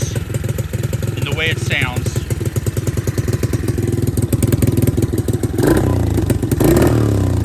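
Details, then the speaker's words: Cheap Amazon kids' quad after carburettor mishap and throttle rework, now sounding like a mini Harley: deep, lumpy idle putter with even low thumping pulses and throaty exhaust; normal idle. "so let me go ahead and fire it up [Applause] [Music] oh so you can definitely tell there's a difference"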